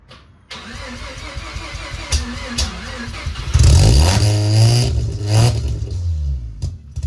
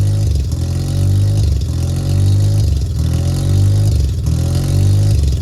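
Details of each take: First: Mazda RX-7 sat over 2 years, just after fuel pump replacement, in neutral and smoking: catches after a few cranks, surges and sags with throttle blips, won't hold idle alone. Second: Mazda RX-7 rotary engine started after sitting over 2 years, idle air control valve plug reconnected: loud, lumpy idle surging and sagging about every second as it hunts while cold; stops searching and idles nicely once warm.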